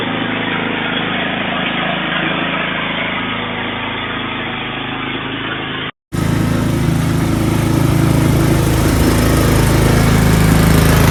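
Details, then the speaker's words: Snowblower single-cylinder engine stored 4 years in a shed with the fuel shut off and stabilized gas, fired on the first pull; it runs steady and even at full throttle off choke with no misses or hunting, healthy, normal running. "Wow, I am super impressed. Guys, I am super impressed about how this fired up on the first pull after sitting for 4 years in that shed."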